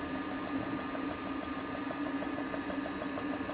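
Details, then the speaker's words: Woodgas-gasifier setup with blower (rebuilt vacuum motor in a yeast-pump housing) running: quick, fairly regular flapping tick, several per second, over a steady hiss, the check valve slapping around on its seat. "here the check valve just slapping around speaking of check valve"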